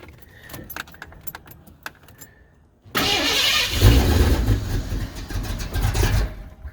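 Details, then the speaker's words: 1991 Ford Mustang GT V8, started after timing adjustment with timing light and vacuum gauge on: rattling crank, then lumpy uneven surging, stumbling running; hard start and rough running at that timing, more advance then added. "Oh, okay. Well, it doesn't like that."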